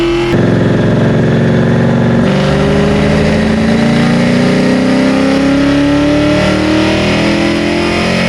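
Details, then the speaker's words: 1990 Ford Mustang Fox body with a 393 stroker built from a 351 Windsor, Trick Flow 227 heads and an aggressive cam, on the dyno. The V8 pulls hard under load with a ragged, uneven note: it misfires because a rich tune left the plugs black and fouled. "So we had to take a break real quick, and we had to change all the plugs around because they were pretty much fouled. And that's, you know, something to say. Our tune was pretty rich before. You can see how black these are, and it was misfiring pretty good."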